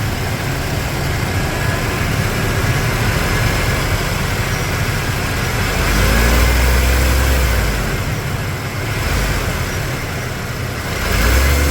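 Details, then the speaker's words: 1995 Ford F150 V8, hot after driving, fresh oil change: steady low even idle rumble with brief light blips, sounds quiet, nothing abnormal; slight power steering whine noted, low fluid. "Sounds quiet to me."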